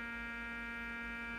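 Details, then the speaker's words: Fluke 6060B RF signal generator, audio output with modulation off: loud, steady mains buzz with a rough edge coming through the audio; the owner suspects a power supply problem, not confirmed. "so there's a big buzzing sound coming through the audio which is interesting"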